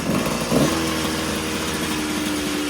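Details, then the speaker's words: Suzuki RM125 two-stroke, first start after engine rebuild with new piston rings and gaskets: even buzzy idle settling after a brief blip, steady pitch; running normally though carburetor needs tuning. "definitely got to tune up the carb a little bit but it is running and we are all good"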